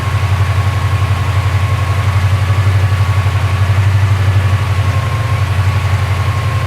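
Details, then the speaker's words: Porsche 928 V8 after careful mixture screw adjustment, idling around 1,100 to 1,200 rpm: steady, even low throb with no stumbles, no longer misfiring; exhaust bracket rattle remains; normal running. "but it's actually uh not misfiring at all now I can read that up and it actually sounds pretty good"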